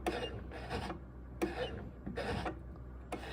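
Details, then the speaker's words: 1971 Oldsmobile Cutlass S fitted with a Classic Performance Products electric E-Booster (Bosch Gen2 iBooster), key on and engine off: short motor-like whirring bursts about every 0.7 s as the pedal is pumped, assist kicking in cleanly each time; very little pedal feel. Normal operation. "It sounds like a, like a motor."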